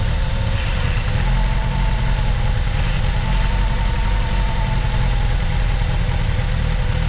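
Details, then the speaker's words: 2009 Ford Fusion 2.3L, running badly with MAP and O2 codes: steady low idle with short hisses as brake cleaner is sprayed, traced to a vacuum leak at the intake runner control; the intake manifold needs replacing. "so that definitely sounds like it's going here you know what that is that's the intake runner control and that's why I run so bad"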